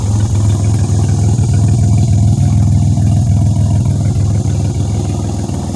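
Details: 2007 Pontiac Grand Prix after an AEM E85 fuel pump install with 6AN fuel lines and a ZZP stainless filter, warm after a highway drive: strong, even low hum holding steady with no knocks or misses. Runs great. Normal idle.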